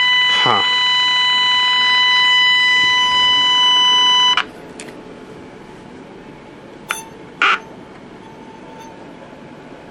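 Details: Packard Bell 35 AM tube radio: steady high whistle near 1 kHz with overtones for about four seconds, then faint hiss. Injected IF signal gets nothing through; coils and tubes check good. Squealing oscillation, cause unknown.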